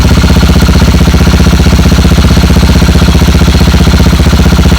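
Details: Motorcycle without kickstarter, with a bad battery, idling after its second start using a small jump starter grounded to the chassis. Steady, even thumping with no misses or knocks. Normal idle.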